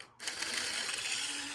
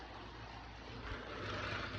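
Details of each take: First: Small 1980s–90s Rivarossi model locomotive, just dropped, on power: a light, even mechanical whir and gear chatter with no catches or knocks; normal running. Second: Bachmann model locomotive at 60% power with some wheel slip: loud, rough whirring hiss over a low motor hum; loud bearing noise.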